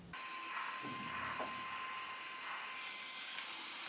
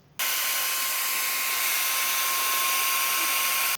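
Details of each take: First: ISDT SC-608 charger cooling fan after balancing with tape: soft even hiss and faint steady high tone, no wobble or rattle; smooth, well-balanced normal fan running. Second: ISDT SC-608 charger cooling fan before balancing with tape: steady high airy whir with thin constant tone and rough buzzy edge; out-of-balance fan vibrating at speed.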